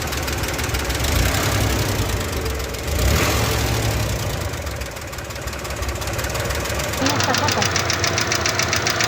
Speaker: Porque si la distancia es demasiada al momento de accionar la válvula se genera un golpeteo que se escucha al funcionar el motor. El sonido es muy parecido al de los buzos y se puede escuchar algo así.